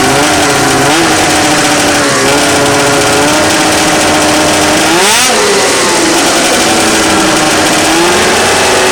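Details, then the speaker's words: Rotax 700 two-stroke snowmobile engine after teardown to pack the crank bearing: crisp buzz settles to a steady idle, then a quick rev rises and drops back cleanly; runs good, no leaks. "Huh? Sounds like it's ready to go. That way. Runs good, no leaks."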